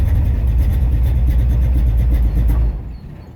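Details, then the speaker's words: Chevy Nova hot rod ("Misfit"), parked a while and not wanting to start for about a week, given ether and gas poured into the carburetor; the engine runs rough and low for under three seconds, then dies and stalls; cause not evident. "It run for a little minute."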